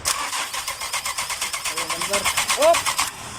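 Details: 2002 Nissan Maxima with codes P1320 and P1335: steady starter cranking at roughly three strokes a second that never catches or fires; crank, no start.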